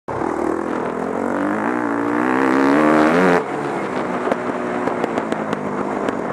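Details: WR250F dirt bike revs, then pops and cracks from the exhaust when the throttle closes. The owner says the jetting is too rich.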